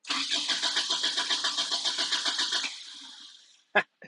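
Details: 2001 Toyota Tacoma 2.7L with about 345,000 miles, which stalled at highway speed: even starter cranking at about four turns a second for over two seconds with no catch; a no-start.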